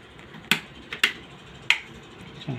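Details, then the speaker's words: Honda City petrol ignition coil bench-tested on 12V with spark plug, in the dark: sharp dry snaps, three strong ones in under three seconds, as spark jumps the gap; coil firing properly. "इसमें current ए रहा है इसका मतलब है एक कोयल है आपका सही है"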